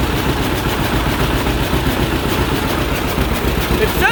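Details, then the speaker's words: 1951 John Deere Model A tractor running for the first time in about 30 years, on booster battery, no coolant in it: slow, even two-cylinder putt at low idle on initial settings with oil pressure; runs healthy. "we have oil pressure look at that low idle just on initial settings"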